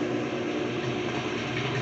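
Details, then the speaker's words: Whirlpool commercial coin-op washer in onboard diagnostic test: pump on, basket spins up to about 500 rpm; steady even hum with smooth pump whir, no knocks or scraping; normal spin cycle. "it'll turn the pump on then it'll spin up you can hear it spinning"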